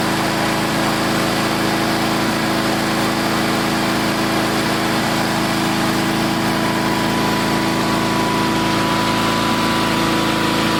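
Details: Old Onan twin engine just after replacing points and condenser, at half throttle: steady even drone at fixed speed, no pops, sputters, backfires or arcing; runs smoothly, carburetor needs slight fine-tuning.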